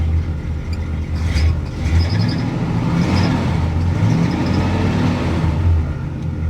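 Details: 1965 Cadillac V8 running after a fuel-related repair: deep, even rumble with a couple of light throttle blips, no misses or stumbles; engine running normally.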